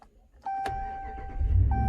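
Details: 2013 Dodge Ram 1500 that would not crank with a defective key and dead dashboard, after new key programmed: steady chime, quick crank, engine catches right away into an even low rumble; clean start.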